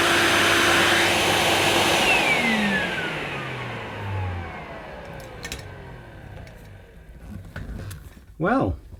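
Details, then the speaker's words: Vintage Hoover S7053 Commercial Celebrity canister vacuum, first run after purchase: motor spins up with falling tone then steady airy whir, even, no grinding or rattle; runs normally, though it may need some lubrication. "i don't think that sounds too bad possibly a bit of lubrication is in order but yeah it it runs doesn't it"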